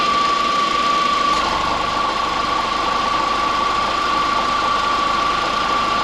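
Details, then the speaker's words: 2004 Volkswagen Beetle at idle after the A/C clutch, pulley and coil were replaced, with fans on: a steady idle with an even mid-pitched compressor hum, no clatter or squeal, A/C pushing air. Normal A/C compressor operation. "Let's see if we have AC. Fans. Hey, look at that. AC. Pushing away."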